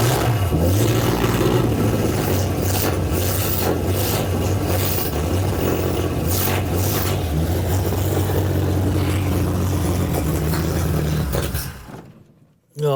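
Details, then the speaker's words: Debonair engine during restoration, cold start; lumpy, uneven low chugging that wavers rather than settles, then cuts out; stumbling on a cold start. "I was trying to pull the choke on. Oh, there we go. We gave it some choke and it's never run that well before."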